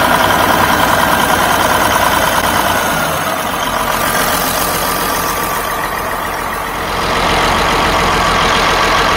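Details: Western Star diesel truck left sitting for years; it was pumping good before cranking: cranks and catches, then runs loud and ragged with uneven clatter and a rev dip. Rough running after long storage.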